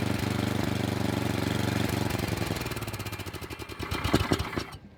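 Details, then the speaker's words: Craftsman snow blower with Tecumseh engine, cold start on half choke: small single putters unevenly at about four beats a second, then fades and dies out; running rough but not stalling. "so you can see it started right up no problem I ran it on Midway choke for a little bit but you could still hear it's not run it wasn't running quite right but it wasn't looking to stall"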